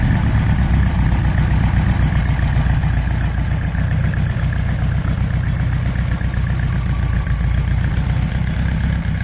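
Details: Porsche 912 flat-four just after rebuild (sludged crankcase cleaned, cylinder head exhaust stud holes repaired): steady, even idle with smooth low burble, no knocks or misses; running clean.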